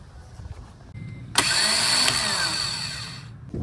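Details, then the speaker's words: 1990 Acura Integra GS after manual swap, after adding starter-to-frame ground: short starter whir, engine catches cleanly within a second and settles to idle; normal crank and start. "And I also added a ground to the starter connecting to the frame, and that ended up getting it to go."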